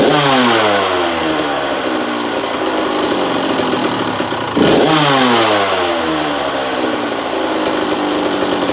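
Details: 1985 Kawasaki KX125 125cc two-stroke, in neutral: crisp, even ring-ding with blips climbing and falling smoothly, no knock or rattle; motor sounds sweet, normal running.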